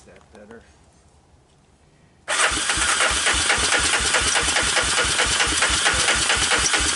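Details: Honda TRX250 ATV with apparently new (clone CV) carburetor, first start on starting fluid with diesel-contaminated fuel: catches after a pause, runs lumpy and uneven about twice a second, "doesn't sound great"; rough running from diesel-contaminated fuel.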